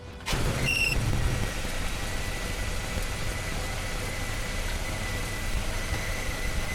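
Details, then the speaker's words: 1997 Toyota 4Runner hot at idle: thin, steady high whistle over the engine, a suspected vacuum leak; owner wondered about the silicone vacuum lines. "And I'm wondering, is it these silicone vacuum lines making the whistle noise?"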